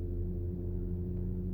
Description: A vibration from the radial-piston tandem pump used to provide the hydraulic pressure for PDCC system in many Porsche cars - CAYENNE, PANAMERA, 911 etc.